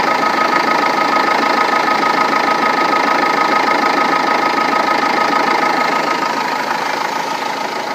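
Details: Renault Laguna 2 2.2 dCi diesel at idle after timing belt and water pump replacement: fast, very regular knocking about three per second with a hard metallic nail over the diesel sound; abnormal, cause undetermined.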